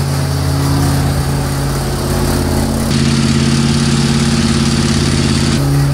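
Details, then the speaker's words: Gen 1 HEMI engine running on a dyno after starter adjustments: heavy rough drumming under a steady roar, with strong vibration not present in earlier tests. Excessive noise and vibration. "ah besides the start of going a noisy coming a lot of noise out of it a lot of vibration there's a lot of vibration"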